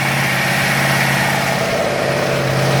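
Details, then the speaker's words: Freshly rebuilt Ford 302 V8 idling warm with a gutted thermostat; an uneven, lumpy beat with a periodic stumble from a misfire at idle, which the owner suspects is the distributor. "We do have a misfire. That will be distributor, I would think."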